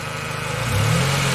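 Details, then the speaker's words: 1997 Honda Civic after partial engine rebuild (head, valve cover, exhaust and intake gaskets), battery 12.2 V, charging 14 V: low, uneven idle, revs lagging sluggishly behind the throttle; slow throttle response, cause unknown. "See how slow and delayed that is? I have no idea what's going on."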